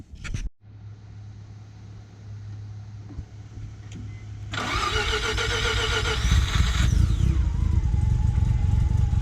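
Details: 1990 Mazda RX-7 FC turbo rotary after OMP delete, new intake manifold gasket and fixed boost leak: cranks, catches and runs with a steady buzzy drone, then a rising whoosh under load; healthy running.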